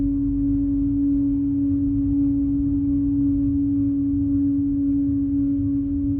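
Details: Audi A6: a steady, unwavering hum near 290 Hz with a fainter note an octave above. The pitch never shifts, and the cause is unknown.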